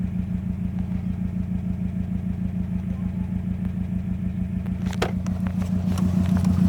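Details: 2005 Subaru WRX EJ20 flat four at idle with an uneven stumbling beat about three times a second; code P0340 and misfire on cylinder 3 despite new coil, plug and O2 sensor, good compression; cause not confirmed.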